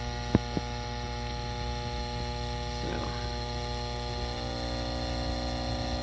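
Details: Furnace induction fan switched on for a test: steady electrical hum, faint low drone and grinding with no fan spin-up. The inducer motor appears stalled and failed again, a third time. If it turned, the pressure sensor would be suspect.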